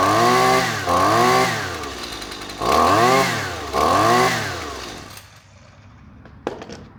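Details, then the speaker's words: Husqvarna trimmer with the proper spark plug originally supplied with it: three clean throttle bursts with smooth idle between before shutdown; two-stroke running normally. "runs just fine runs the way that it should that is the spark plug that actually like i said came in the equipment"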